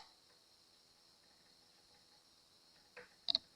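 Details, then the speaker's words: Fender Jaguar (Mexican) electric guitar, raised 22nd fret near the neck-body bolt joint, rocking; light, sharp clicks over quiet hiss as the high fret clicks against its two neighbours when pressed. "This fret is higher, so that noise you hear is it clicking on these 2 frets. That's how you know."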